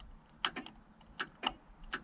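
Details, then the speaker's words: Datsun 120Y horn after bending the steering-wheel earth tab that wasn't touching the boss: sharp, light clicks in quick pairs each time the button is pressed over a quiet background; horn relay now clicking normally. "it's actually triggering a relay or something"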